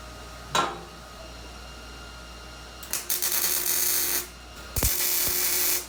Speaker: that's what you want the sound of sizzling bacon